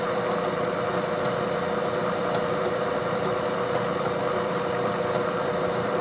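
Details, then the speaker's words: Bridgeport vertical milling machine head running in direct drive after one-shot lube added; constant mid-pitched hum with steady even hiss, no grinding, knocking or whine; spindle runs healthy. "Head sounds good."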